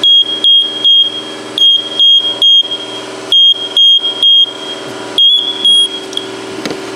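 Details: First Alert smoke detector, cover off during teardown: sharp high-pitched beeps in short bursts, about two a second, never stopping; no visible fault found, owner suspects the smoke chamber.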